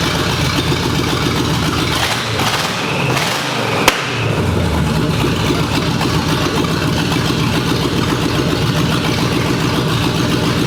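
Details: 1965 Ford Mustang, GT40 V8 with rebuilt Toploader, after correcting backwards distributor/plug wires: short crank, fires right up to steady smooth idle without stumble or miss; normal start and idle.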